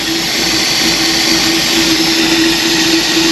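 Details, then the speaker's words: 1966 Ford race car idling with no air filter fitted: loud steady hiss of air drawn into the open carb over an even low hum; normal smooth idle, sounding better than before. "it sounds better this time my air filter should be here today i think you're sucking here"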